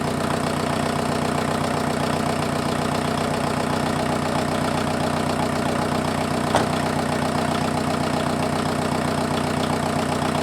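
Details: Freshened-up diesel in an offroad Mazda truck idling after getting it running: a steady, even clatter at a constant beat with no misses, knocks or hunting. Much smoother than the previous engine, no smoke; normal diesel idle.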